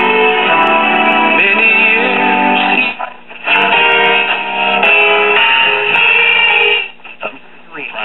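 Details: Late-1950s/1960 Arvin twin-speaker AM tube radio, IF at 455 kHz, after aligning the IF transformers: music comes through clean and steady, with no hum, crackle or fading, receiving the station properly.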